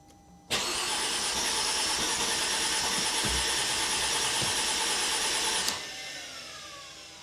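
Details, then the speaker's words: 2005 Mercedes SLK350: steady cranking whir about five seconds, engine turns but never catches; fuel pressure later measured about 48 psi (3.12 bar); cause unresolved. "oh my gosh yeah this turns so the engine is moving why is this not wanting to start"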